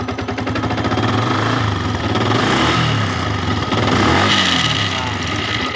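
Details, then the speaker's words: Yamaha Vixion motorcycle with a rough noise from the left side: loose, chattering rattle over rising and falling revs, only at high RPM and absent at low RPM. Not the cam chain tensioner. "Seperti ada yang kendor, ya bunyi ngeleter di bagian sini. Tapi bukan sentrik."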